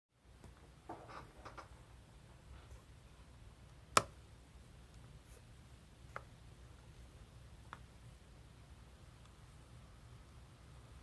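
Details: MacBook Pro 15-inch (2017) display hinge: sharp single pop and faint ticks as the lid opens, captured by external mics but absent from system audio; Apple replicated it and replaced the display.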